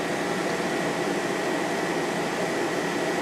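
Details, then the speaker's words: 2014 GE 8,100 BTU window air conditioner (Gree compressor, KB fan motor) cooling on low fan: steady even hum and fan rush, no knocks or rattles; very smooth compressor, normal running. "very smooth compressor in this one"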